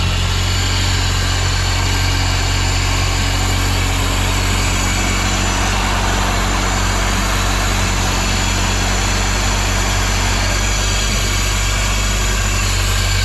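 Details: Honda EG hatch with a turbo K24 swap, reinstalled after a spun bearing, on a 92° day: a smooth, even idle with a constant deep hum and no knocks or ticks over thirteen seconds. Normal, healthy idle.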